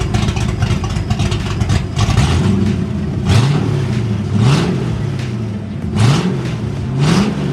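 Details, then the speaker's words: 1989 Ford Mustang GT V8 revved with camera on stand after new fuel system: strong burble rising cleanly with each blip, dropping straight back to steady idle; normal revving. "oh she sounds extremely well so good can't wait to actually take this thing out on the road and be able to beat the living crap out of it let me put the camera on the stand so you guys can hear it while I rev it"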